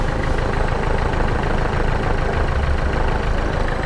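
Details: Nissan Micra with push-button start, running after a steering lock switch replacement: steady low idle with a rhythmic ticking pulse about three times a second; abnormal idle noise, timing belt mentioned but cause not confirmed.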